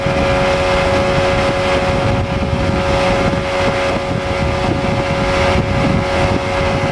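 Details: Outboard at constant throttle on test run after a blown motor was repaired, new prop of unknown pitch (old 3-blade 17 pitch reached 44 mph); steady unbroken high drone with wind rush; runs excellent, no issues.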